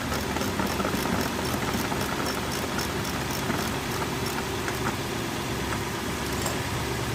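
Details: Lexus 430 V8 after replacing faulty starter motor with a used unit: steady idle with light quick ticking on top, no misses or surging; normal idle.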